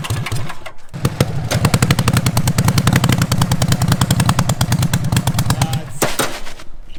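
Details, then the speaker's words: Racing mower with freshly rebuilt carbs and non-stock lawnmower coil packs, under load: ragged uneven firing with irregular popping that falters and nearly dies; still bogging, plenty of fuel, owner suspects spark or coils, not carbs. "no it's still not working under load ah so i'm thinking our problem isn't even a carb problem look how much fuel it's getting"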